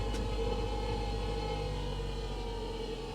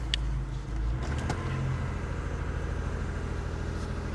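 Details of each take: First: Salvage-auction small hybrid car: quiet, uneven gasoline-engine drone with a lumpy, irregular pulse under a faint hum; the engine runs rough. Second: Vehicle at salvage auction, started first try: steady, even low idle with no knocks, misses or squeals; runs good, A/C compressor engaging.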